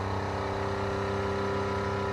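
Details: Newly installed 12V 65 L/h sailboat watermaker running on fresh water, output to reject, TDS near zero, before releasing pressure and shutdown: steady, even electric pump hum at constant pitch, no knocking or grinding; normal.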